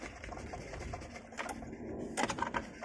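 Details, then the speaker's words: Porsche Cayenne Turbo, engine off with drive belt removed, water pump pulley spun by hand: light mechanical whirr with a faint steady whine, noisier when spun fast; suspected worn water pump bearing causing the constant engine whine. "As you can hear that, the water pump is really noisy. It's starting to be noisy, especially when you're spinning in high RPM. You can hear the actual disc and whine."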